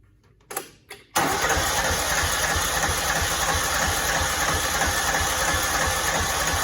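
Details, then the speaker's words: Cub Cadet 2166, 16hp Kohler Command single-cylinder, faulty fuel pump, after gas poured into the filter and fuel line: a couple of cranks, then catches and runs steadily, slightly rough, the longest yet. Engine runs only when primed. "That's the longest it's ever ran for me, so yeah, that's exciting. I think we got it. I don't know, that fuel's still not going in."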